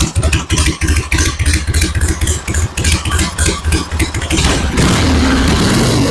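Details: 1974 Harley-Davidson Ironhead Sportster chopper, battery at 12.8 V: throttle blips, then smooth steady loping idle with no misfires; normal idle.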